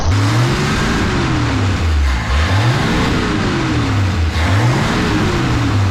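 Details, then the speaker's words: Barn-find 53-year-old slant six with original accelerator pump, timing being set: engine revs rise and fall in smooth, even blips with no stumble; purrs, normal running. "Listen to that. It just purr like a kitty."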